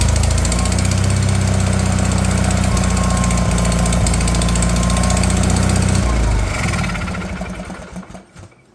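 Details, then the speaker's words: Wheel Horse 416 Hydro with 16 hp engine, sat outside two years, new fuel filter fitted, choke on: steady heavy chug about four beats a second for six seconds, then dies away; long cranking until fuel fills the carburettor. "we'll give her some choke we'll probably have to crank it until it brings some fuel up into that filter and fills the curb up"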